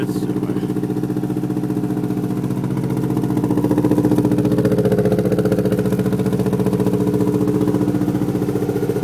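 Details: Subaru WRX flat-four idling with an uneven, stumbling lope and a regular miss three to four times a second; misfire on cylinders 1 and 3, plugs looked fine but were fuel-coated, owner suspects ignition problem.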